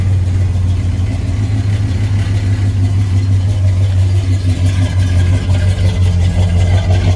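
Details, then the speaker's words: 1977 Ford F150 4x4, essentially stock, just started in very cold weather. The V8 holds a steady, even low-rumble idle with no misses or knocks, not super loud with a nice tone, running cleanly from cold. "she fires right up no problems if she runs great she's not super loud but she's got a nice tone to her you can hear that it's pretty much stock but it sounds great"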